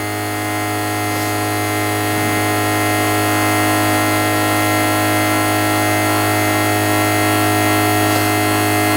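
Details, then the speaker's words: Traxxas XRT Ultimate RC truck rebuilt with hardened steel diff gears, MOD 1.5 gears, Max 5 ESC and Hobbywing 1100KV motor: steady high gear whine with a faint regular tick about four times a second; one gear tooth is chipped. "One of those one of those teeth definitely has a chip. I just didn't see it. I can hear it."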